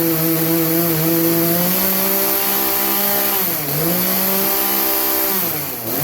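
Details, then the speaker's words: Craftsman chainsaw that bogged under load, at full throttle after the high-speed carburetor jet was turned about three-quarters clockwise: clean, steady high-revving buzz, brief dip under load, quick recovery; now runs smoothly. "anyways that you could hear the difference in it running high speed prior to and afte"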